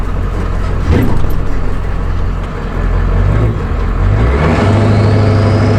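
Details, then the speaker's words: Truck labouring while towing a heavy trailer downhill, then one sharp bang in the driveline; afterwards park no longer holds and stutters; driveshaft or transmission suspected, not confirmed. "so well you guys probably heard that sound there uh we're kind of in a conundrum so i don't know if that was a drive shot that just popped the transmission just went i don't know"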